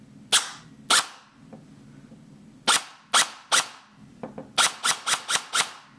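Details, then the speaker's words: MCX gel blaster that had stopped working, after motor rewiring, battery connected, fired on semi: crisp single shots, two, three, then a quick string of six; gearbox cycles well with air pressure felt; a loose screw found. Normal cycling. "that's interesting it Cycles well it feels I can feel air air pressure coming out"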